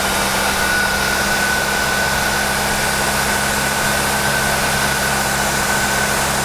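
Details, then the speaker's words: Jeep engine after a port fuel injection (PFI) install, first start while cold: steady, fast, even hum with a faint high whistle and no misses; high cold-start idle, normal until warmed up, before idle is set. "did you notice noticed when it was first started up it idle up quite high this is very normal until they get warmed up they're going to run at a higher idle"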